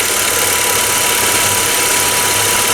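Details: 2011 Ford Ka 1.0 Zetec Rocam, running on ethanol, at first (cold) start: harsh, rattly running with a metallic knock through the idle. The car had overheated and had cylinder head work before.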